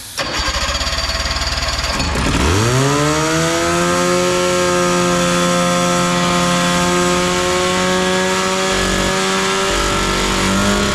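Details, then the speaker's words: Big Max 6x6 amphibious ATV, 440cc two-stroke, just started on choke: a loud, buzzy run with wandering tone and no steady low idle; poor idle, not much of an idle circuit. "well we have a runner boy that's awfully loud not much of an idle circuit to it"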